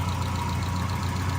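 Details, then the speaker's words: 1972 BMW 2000 Neue Klasse 2-litre engine idling, bonnet open: smooth, even idle with steady low beat, no tapping, knocking or misfire; no funny noises or smells, healthy. "No histrionics or any funny noises, smells or anything. Just doing what it's supposed to do."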